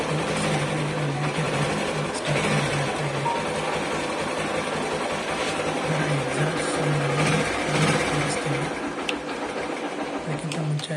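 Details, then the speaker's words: 2014 Bajaj Platina 100cc BS3 kick-start bike, 10 years old, 62000 km: starts on a single kick and idles with a quick, light, even patter, no knocks or rattles; healthy. "ಒಂದೇ ಕಿಕ್ಕಿಗೆ start ಆಗುತ್ತೆ. ಗಾಡಿ 10 ವರ್ಷ ಕೂಡ ಒಂದೇ ಕಿಕ್ಕಿಗೆ start ಆಗುತ್ತೆ."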